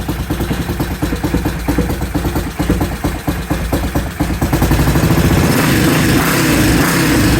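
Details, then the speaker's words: 1968 Benelli 350 (Montgomery Wards Riverside) motorcycle, first start after 50 years in barn, carbs primed and idle adjusted: uneven popping idle smoothing into steadier run as revs rise; normal running. "All right, so that was a lot of fun, right? So as you see, we got this motorcycle started. I'm super excited."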